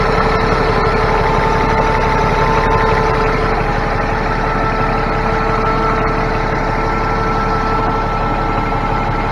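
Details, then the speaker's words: Cummins ISX heavy diesel truck after replacing timing and fueling actuators, fuel pump relay, Jake harness, cam sensor and oil pressure/temperature sensor to fix rough idle: steady, even, smooth idle, no misses or knocks; normal. "This thing's running so much better now. Got a good idle to it."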